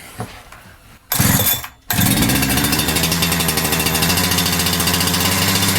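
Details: Holzfforma G372XP chainsaw (Husqvarna 372XP clone), first start after a new carburetor was fitted and the low and high jets were set: catches after a couple of blips and holds a steady, rapid two-stroke buzz, running normally. Fuel pickup tube found too short.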